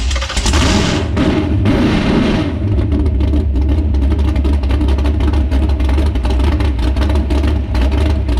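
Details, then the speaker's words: S10 with a freshly built V8, first start on the lift with thick assembly lube, barely warm: catches after a few cranks into a loud, lumpy, uneven idle; the carburetor float, regulator and mixture are not yet set. "so get this carburetor figured out get everything set get the regulator set get the float set diagonal mixture set"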